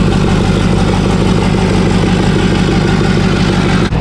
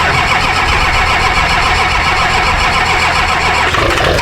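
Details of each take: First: Rebuilt Duramax diesel truck after a cold start at about -4 outside: steady, even diesel clatter at a settled idle with no misses or knocks; healthy running engine. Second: Rebuilt Duramax diesel truck sat overnight in the cold: long steady cranking grind before it catches and settles into a rough idle; slow, hard cold start.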